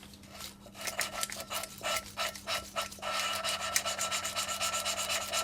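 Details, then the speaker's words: Classic Mini A-Series 1380 rebuild, valve lapped by hand into head seat: even rasping strokes about four per second, smooth and consistent; nice valve-to-seat contact, good valve seat. "you kind of you can hear that that's got quite nice kind of contact between valve and seat so I think that's actually quite a good seat there"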